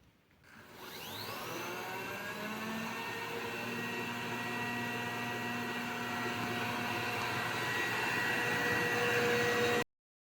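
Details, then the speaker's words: Robot vacuum, whose noise came from a non-original brush, after fitting a plastic-card shim in the brush holder spins up and settles into a smooth, even whir with no rattling or clicking. "И тогда ваш пылесос снова станет работать тихо, потому что щётка уже не будет никуда перемещаться в поводку."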